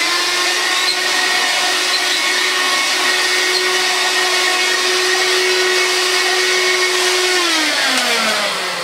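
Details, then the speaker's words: Bissell Magic Broom 160 W handheld stick vacuum, old unit before refurbishment, with the cover catch popped off: a smooth, steady high whine with an even brush whir, then the pitch sinks as it winds down. The brush roll spins rapidly and normally. "so though this probably will get some fluff out mainly just due to that such brush you can hear it now it's very rapidly"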